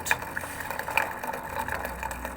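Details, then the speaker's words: Old Samsung washing machine showing 5E error, set to spin at 400 to drain: drain pump runs with a rough rattly buzz and sharp ticks over a low hum, louder than normal; something suspected stuck in the pump. "but it's making a lot of noise seems something is stuck in there"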